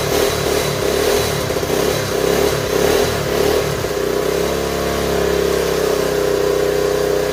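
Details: 1970 Honda Trail 90, previously non-running and said to have overheated, after carburetor cleaning: single blips through uneven revs then settles to steady buzzy idle; lots of white smoke, owner unsure if it is burn-off.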